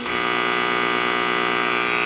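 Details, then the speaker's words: Rectifier diodes with their snubber capacitors removed, listening in at a resistor in the chassis: steady hard electrical buzz with a crisp high edge and no mechanical rhythm; diode switching noise that the capacitors dramatically reduce. "That is a lot of noise. Two 50 cent parts will dramatically reduce that. Those two parts are the capacitors."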